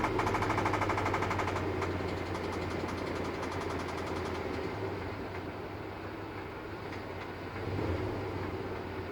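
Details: 2003 Dodge 5.7 Hemi V8 idling with a sharp, rhythmic knock, about three a second, that fades in and out. Unlike the owner's past constant rod knock, he is unsure if it is rod or lifter.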